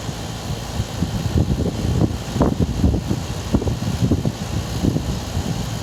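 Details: Air conditioning weird noise: irregular low whooshing surges rising and falling a few times a second over a fan hum; cause unclear.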